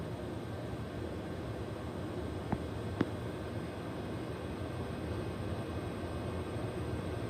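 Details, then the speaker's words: Ubiquiti US-48-500W Gen 1 48-port PoE switch after replacing the loud stock fans with Noctua NF-A4x20 fans: only a faint even hiss with a couple of small clicks, no whine or buzz; normal quiet fan operation. "I mean, what can I say? You heard it for yourself, or better yet, you didn't hear it at all, which was kind of the whole point, and it's pretty awesome."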